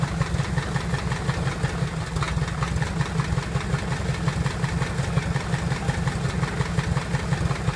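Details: Piper Apache first start after rebuild: steady low, even throb with a regular firing beat, no knocks or misses; healthy aircraft piston engine idling smoothly.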